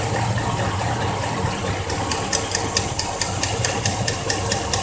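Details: 2004 Chevrolet Silverado at idle: sharp metallic ticks about two per second, mimicking lifter tick or piston slap, were a loose spark plug letting the boot's metal shield rattle against the block; fix is re-torquing the plug when cool.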